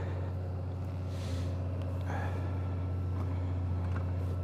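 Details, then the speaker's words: Honda Gold Wing DCT warming up after a cold start in the 30s: steady, even low drone at a raised idle of about 1800 rpm, no knocks or misses; normal fast cold idle. "can hear it's idled up quite a bit. The RPMs are reading about 1800, so it's pretty cold."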